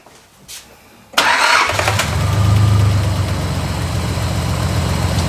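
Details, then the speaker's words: Lazy, rough idle on a 1986 Nissan 300ZX (Z31) revived after storage; pinching the return fuel line raises the idle, suggesting low fuel pressure or insufficient injector flow. Suspected, not confirmed. "what idles very lazy it's directly related to that if you see when Ray pinches the return fuel line the idle [Applause] increases"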